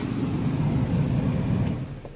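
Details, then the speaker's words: Ford Taurus after replacing the AC compressor clutch magnet (previously rough idle and P1633 code): smooth, low, even idle hum dropping slightly near the end as the clutch disengages when AC is switched off. Normal idle. "AC compressor clutch is now spinning these is not blown you turn the air off and we'll make sure it stops like it should"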